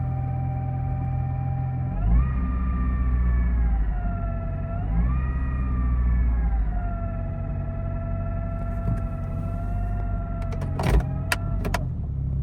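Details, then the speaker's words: 2004 Honda CR-V automatic: steady gear-like whine at idle rising and falling with revs, gone in drive or neutral at rest, returns when driving; fixed by replacing transmission end cover. "now in those video you can see it does it as soon as you start it up at idle and then once you put it in driver neutral the sound will go away but once you drive the sound will come back and it almost sounds like a gear noise"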